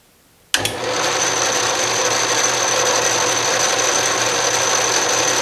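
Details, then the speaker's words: 12-inch Atlas Craftsman metal lathe after restoration and reassembly on a new bench, carriage power feed tested running left: steady even whirr of gears and leadscrew with faint high whine, no knocks or catches; normal power feed. "left that's moving nicely"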